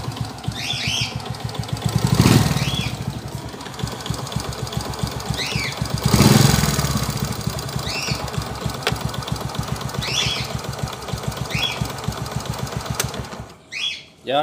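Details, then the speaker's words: 2017 Suzuki Smash 115 timing-chain engine at rough, lumpy idle: heavy rhythmic thudding under the exhaust beat, surging revs, strong vibration, like parts fighting inside; engine to be removed for refresh. "smash 115 yung 2017 model boss an parang k na rin toang may nagkakalaban sa loob oh masyadong ma- vibrate na"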